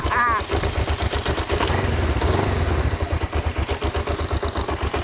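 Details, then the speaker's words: Kawasaki GPZ 500S left outside three to four years, running on choke after battery charge: twin idles with steady low thump, slightly uneven but catching every time, not very smoky. Normal idle after storage. "to four years stuck outside I am well chuffed and not very smoky either"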